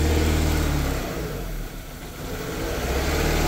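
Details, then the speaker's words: Renault Duster 2.0 automatic, abandoned and running on ethanol, first start after adding water with a makeshift fuel fitting and a leaking radiator: engine idles, dips on throttle blips, settles to an even healthy idle. "Ó que motor top."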